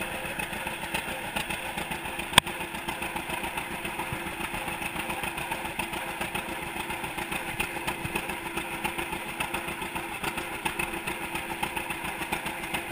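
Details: 1942 John Deere Unstyled A conversion, engine formerly stuck, on its first start after new spark plug wires (GoPro in waterproof case): slow, even two-cylinder putt of roughly one beat a second, steady with no knocks; running healthy.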